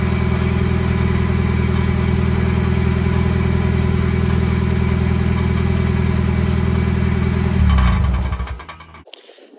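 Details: Muffler-deleted Toyota Echo at cold idle: loud droning with a fast, steady metallic rattle until shutdown; exhaust rattling, sounding like a cracked flywheel ring gear, heard under the front quarter panel.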